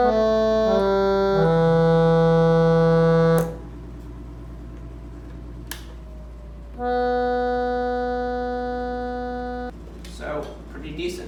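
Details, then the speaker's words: Silvertone 4721 air-powered chord organ, rescued from the trash and repaired, all keys working, fan warmed up, pedal down for side-speaker output: clean sustained chords changing on cue over a steady blower, no stuck or droning notes; normal operation. "when you press the pedal down here you will get sound out of the speaker on the side you do want to wait for it to warm up for a second"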